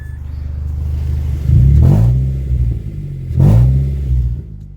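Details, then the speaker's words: Mazda with five-speed manual, flipped project car: engine starts and revs twice with coarse uneven low rumble and rattly note; abnormal engine noise, cause not yet identified. "definitely sounds like absolute garbage I hate that sound so we're gonna fix that"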